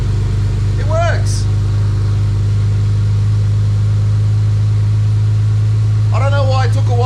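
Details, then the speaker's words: Ford EL Falcon XR6 Turbo that died on the road, after repairs with fuel pump priming: cranks and starts, settling into an even, steady idle with no misses; runs properly again. "Crank and start, but it works. The car runs again."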